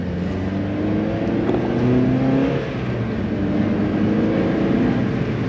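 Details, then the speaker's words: Miata back on stock exhaust after a state referee ticket, pull in second gear; smooth, even engine note climbing, no boom or drone; quiet, healthy stock exhaust. "look that's like in second gear I mean I guess it's quiet and it doesn't mob that much but it's kind of sick though I kind of like this quiet Miata"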